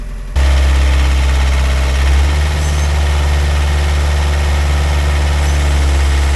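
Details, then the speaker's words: Pel Job LS2000 excavator after the Rexroth A10VO28 pump repair, standby pressure set to 30: steady low diesel drone with a constant hydraulic hum and a slight load change midway. Normal running. "Now I'm really happy. The excavator is doing perfectly. It's functioning exactly as it was like when I just got the pump restored."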